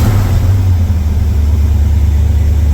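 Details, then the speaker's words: 1982 Chevy K10 V8 that sat nearly 5 years. Deep, even idle rumble with no stumbles, firing on all 8. Normal idle; oil pressure good, apparently not charging. "Okay, so now it wants to run. And it's running smooth. Very smooth. Oh yeah, we're firing on all 8."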